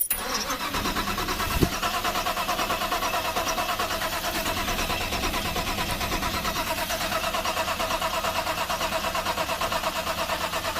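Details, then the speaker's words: Car with electronic fuel pump so it should not start, cranked on a jump starter for a crank test: even, rhythmic starter churn at steady pace, never catches; normal cranking, no start. "Now this has an electronic fuel pump, so it should not start no matter what. But we're not trying to get it to start. All we're trying to do is crank test."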